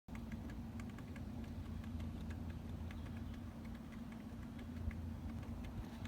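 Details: 2010 Toyota Prius, noise at rear passenger side while stationary: faint irregular light clicks and rattles over a low hum; owner feared battery gurgling or rattling, source unknown.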